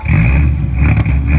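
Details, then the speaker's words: 1973 Triumph TR6 near the end of a restoration, not started in a while, second start attempt after adding gas: a strong, even rev with deep steady exhaust, no knocks or misses; the engine sounds healthy. "Man, that sounds good."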